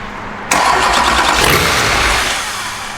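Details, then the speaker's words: Wrecked Duramax diesel in a K20 swap, bumped over after priming: starter turns it steadily for a few seconds without catching. Crank no start; crew suspects a leak in the fuel line system letting it lose prime. "yeah i know we've got a leak in there in the fuel line system that's why it's not rock because if it's driving back go through the fuel line system"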